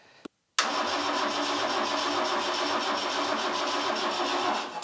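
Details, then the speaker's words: Vauxhall Chevette engine abandoned over 10 years, cranked on a borrowed diesel car battery: brisk even cranking spinning quickly for about four seconds without firing; owner suspects a higher compression ratio. "see how quicker it's spinning over you probably find you might be a higher compression ratio"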